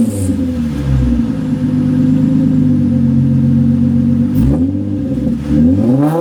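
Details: Nissan 350Z running essentially stock exhaust with the muffler disconnected, before fitting used mufflers bought secondhand: loud, raw, droning exhaust barking harshly on each rev with no muffling, an exhaust leak at the open muffler connection.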